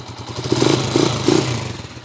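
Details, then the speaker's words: TMX 155 single after overhaul for a noisy engine: blips up and drops back with an even exhaust beat and no knock underneath; quiet now, carburetor tuning still somewhat off. Normal engine running. "Pero tahimik na mga kabro yung kanyang makina."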